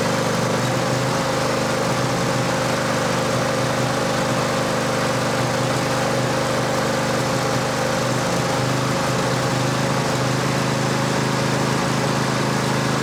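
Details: Cub Cadet LT1550 mower, a no-start repair, running after fuel work: steady, even idle with no stumble or surging, though said to be running somewhat lean.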